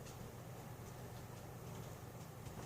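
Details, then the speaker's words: Emerson Casablanca Classic/Premium ceiling fan (brown K55) on solid-state variable speed control at 0.28 A, just above factory low; only a faint, even low hum with no ticking or rubbing: normal quiet fan run. "0.28, I really don't hear anything. That's pretty quiet."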